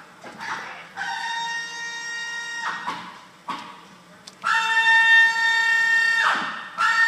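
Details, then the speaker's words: 2011 Ford F-150 electric power steering rack (EPAS) failing: loud high-pitched screech like a dead cat in repeated bursts of a couple of seconds as the wheel is worked; failed electric power steering rack. "I got a 2011 F-150 that has a really weird power steering concern on it and uh I just had to record it for you it sounds like a dead cat under the freaking Hood"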